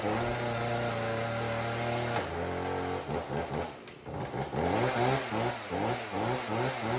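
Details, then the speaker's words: Homelite chainsaw after fouled plug found and fuel tank emptied, refueled and started per choke/primer instructions: small two-stroke idles then revs up in clean rising bursts; runs normally. "well this chainsaw lives another day"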